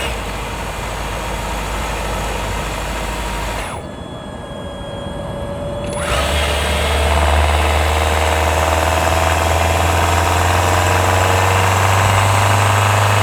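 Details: 2024 Hyundai Tucson NX4 Hybrid, microphone mounted directly on top of the engine: a steady, fast metallic rattle over a loud engine drone that rises with revs. It occurs only when the combustion engine pulls under load uphill, before inspection. It is hard to locate, and some claim it is normal.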